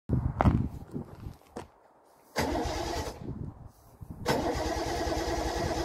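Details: Triumph TR6 first start after a winter refit: engine cranks, catches briefly, stumbles and dies, then fires again and settles into a steady run; a normal start.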